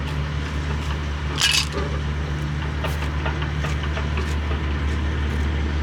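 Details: 2024 CAT 289D3 skid steer with a crank-no-start condition, fired up once the electric lift pump filled the fuel system; a few clanks, then a steady, even low diesel drone with no misses or knocking; normal idle.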